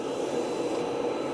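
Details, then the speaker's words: 1975 Chevrolet K10, key-on with no starter fitted yet, fuel gauge wire jumpered: steady low hum with faint even whir, no surging or rattle; electric fuel pump priming normally, no leaks found. "So, we're going to turn her on. I can hear it running and priming."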